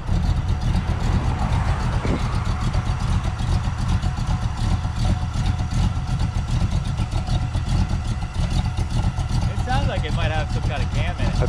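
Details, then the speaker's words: Early Ford hot rod V8 with Mallory ignition, running after rebuilt fuel pump; steady even low rumble with slight lumpy beat; normal idle, runs sweet. "got it running again you guys heard it runs sweet so super cool to uh hear that thing run in person"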